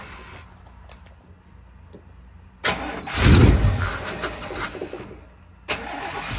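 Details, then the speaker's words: 1992 Chevy K1500 Blazer with headers, just after fuel pump replacement, idle swelling up and sagging unevenly; surging blamed on a broken O2 sensor with stripped threads. "I all right so if you guys can hear the truck kind of surging back and forth so I realized the O2 sensor was broken"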